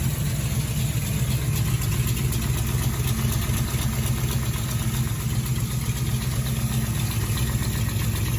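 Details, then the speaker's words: 1972 Camaro 383 stroker V8, sat since 2011, first run after revival; lumpy idle with a rapid loose puffing tick about four per second and chattery valvetrain from its large hydraulic flat-tappet cam, which sounds terrible. "let's slip it on the header there is what is pretty much just sounding terrible I was listening to the NAS like man it sounds like things all sleep lipid"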